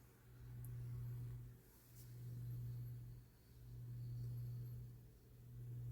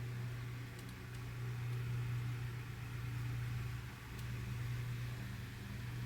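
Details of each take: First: Lasko 9" desk fan 2154 (1988–89) oscillating after extra washer added: low steady motor hum swelling and sagging about every two seconds as gears reach a tight spot; oscillation gearbox binding. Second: 1988–89 Lasko 9" desk fan model 2154 on high after oscillation gearbox modification with added washer: steady low motor drone with gentle slow swell, no grinding or catching; runs smoother than before.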